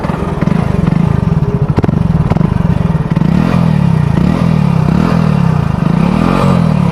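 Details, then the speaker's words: Hero Splendor Plus BS6 motorcycle: a metallic "char char" rattle from the cylinder head area over the engine, growing busier as it revs; owner identifies it as timing chain noise. "Okay okay तो भाई लोग आप लोगों ने देख लिया होगा guys ठीक है मतलब टाइमिंग चैन की नॉज आ रही है"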